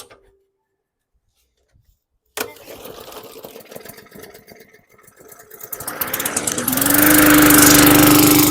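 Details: 2017 Bolens lawn mower (model 11A-020W765), bought non-running, primed then pull-started: starts first pull with a little cough and spit, then settles into a steady, even buzz, running properly.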